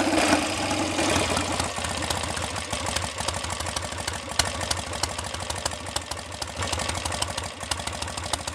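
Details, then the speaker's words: BSA A65 Hornet twin after ignition timing advanced a couple of degrees: slow, loping tickover with irregular beat, revs drifting up and down slightly; idle still hunting a little but steadier and slower than before. "Still got a tendency to hunt a little, but I've been able to set the tick over much slower, and it is much steadier, and dare I say more reliable than it was before. Wanders up and down a little by itself, not as much as it did."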